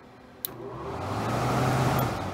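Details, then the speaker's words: Haier window air conditioner, fan speed wires bridged directly at low voltage: steady airy whoosh with low hum rising as fan steps up to fastest speed; running normally. "let's try our positive that sounds like a low speed that sounds faster"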